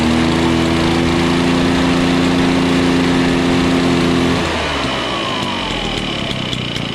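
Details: Old Echo PB-413H backpack blower after a tune-up kit and new air filter: strong, steady high-throttle buzz that drops cleanly to a smooth, even idle. The two-stroke runs healthy and needs no carburettor adjustment.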